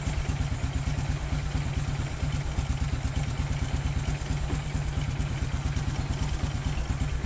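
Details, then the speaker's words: Honda Karisma motorcycle after overhaul with only piston and rings replaced, engine cold at idle: smooth even low thump, almost no ticking or clatter that was present before; normal cold idle, previous cold clatter attributed to piston or rings. "nah ini silakan didengarkan untuk suara mesinnya halus sekali suaranya berbeda hampir tidak ada suara kelotok-klotok atau kletk-kletek ya ketika kondisi mesin dingin berbeda sekali dengan video sebelumnya atau kemarin ya ini suaranya bagus halus standar"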